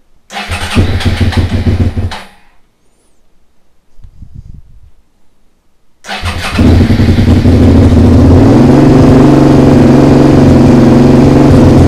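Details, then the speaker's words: Suzuki SV motorcycle under restoration, first start: after a couple of cranks it fires and settles into a loud steady idle with a sharp puffing tick; the exhaust line moves, an exhaust leak suspected. "je crois qu'il y a une fuite là quelque part un souci au niveau de l'échappement on va regarder j'ai l'impression d'avoir du bruit ici"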